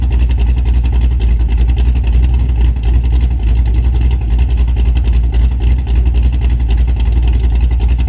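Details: Camaro V8 with a big cam idling on a just-installed Summit Max EFI-500 (IAC idle control, fuel pressure about 35-40 psi): deep, choppy lope of uneven pulses about three to four a second. Normal, running fine.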